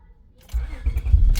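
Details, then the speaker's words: 2004–2008 Acura TL after ignition switch replacement: a short crank, then the engine catches at once into a low steady rumble. The earlier buzzing and repeated cranking are gone, and it starts cleanly. "Yep, it started up right away, no issue."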